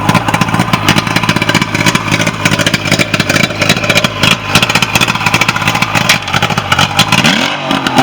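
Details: Nitro boat's Mercury outboard after a no-start issue was fixed, running steadily with crisp even firing through the revs, no stumbles or misses; runs normally.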